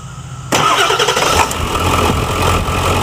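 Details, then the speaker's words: Ford F-350 Super Duty 7.3L Powerstroke diesel after dual alternator install with heavy-duty tensioner and 136" serpentine belt: engine starts and idles with a thin steady squeal as the belt slips on the lower alternator pulley; plan to refit the regular pulley. "well as you can hear that the lower alternator pulley is squeaking again so I guess something have to sleep it over a pulley off again put the regular one back on"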